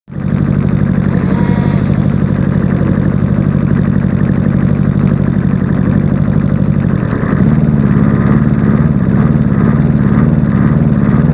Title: Rough idle